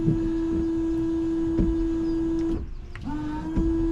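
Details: Range Rover Sport L320 windscreen washer pump: a steady electric whine that briefly cuts out and restarts, with occasional clicks. The pump runs but nothing sprays; something inside the nozzles is suspected of restricting the flow.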